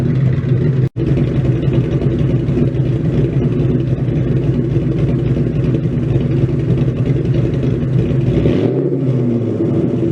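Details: Ford Mustang with freshly built 302 stroker V8, warmed up after first start, untuned and still in break-in: deep even rumble rising and settling with a few quick throttle blips, dropping back cleanly, no knocks or misses.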